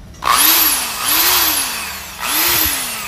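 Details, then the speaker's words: Bosch hammer drill after repair of play at the shaft tip, which had kept it stuck in impact mode: three short trigger pulls in hammer mode, each a rising motor whine over an even rattling buzz, now normal. "tá no Impacto Tá no Martelo tá vendo vamos testar e e tá normal"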